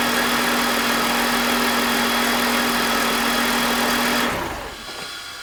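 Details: BMW E46 with M52TUB25 engine at idle, VANOS disconnected: even low hum, no grinding, speed constant until shutoff, no RPM drop. Owner suspects the VANOS causes a grinding noise, worse at startup, heard when connected. Normal idle.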